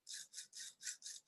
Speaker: most of the sound in a bearing the linear bearing is from the balls touching each other oops and and clanking back and forth